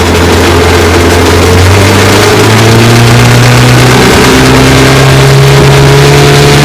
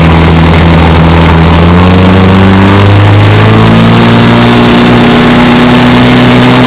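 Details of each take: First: 1954 Johnson QD-15 10 HP outboard after full restoration, running on the water: pitch drifts and steps instead of holding steady, plus rattling, as vibration moves the carburetor needle valve because its lock nut behind is not tight enough; fix is tightening it. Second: 1954 Johnson QD-15 10 HP outboard after restoration and after tightening a lock nut, on the water: settles from a rev change into a smooth steady drone with even firing, no stumble; runs great, idle good.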